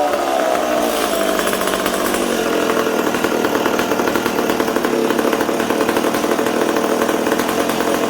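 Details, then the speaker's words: McCulloch Super Pro 70 two-stroke chainsaw on the bench in a 20°C shop with the air filter on: a raspy howl that wanders in pitch, stumbling when the intake boot is sprayed. Suspected intake air leak. "well i think we potentially have an intake leak did you hear it stumbling there"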